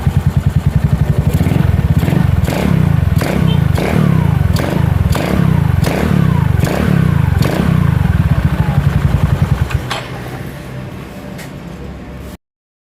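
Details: Scooter after a rear final-drive gearbox overhaul, with milky, water-contaminated gear oil replaced by 120 mL of fresh oil: it runs with a steady low drone and no whine or grind from the gearbox.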